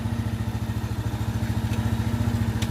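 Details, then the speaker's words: Itálica Z150 motorcycle after transmission gear bushing repair, shifted through first to fifth: steady even idle thump with no gearbox whine in any gear; noise gone. "Primera, en segunda, y en tercera, es lo mismo en cuarta, en quinta. No más ruido, no más ruido."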